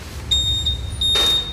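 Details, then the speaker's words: Honda Vario 150 keyless scooter, ignition switched on with the 25A main fuse deliberately pulled. One steady high beep sounds for over a second, but all other electrics stay dead, reproducing the owner's fault. "Nah ini akan saya tunjukkan kalau sekring ini kita cabut ya, yang 25 ampere. Nah seperti ini kita cabut. Nah kita kunci kontak on."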